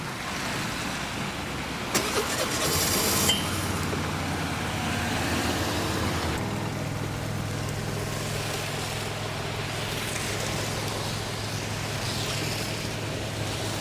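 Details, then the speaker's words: Peugeot Looxor 125 4T scooter, Piaggio Leader 125 engine, cold start in winter; brief crank then catches and settles into steady even idle, starts normally, immobilizer light goes out. "Let's see how it will start and whether it will start in this winter"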